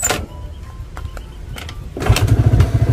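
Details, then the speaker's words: Motorcycle with slightly weak battery, normal unmodified state before the anti-theft fuse trick, kick-started: a few kick clunks, then the engine catches and settles into a quick, even putter; starts and runs fine. "Kalau di engkol pun juga akan tetap hidup ya. Ini saya matikan. Kita engkol pada bagian sebelah sini."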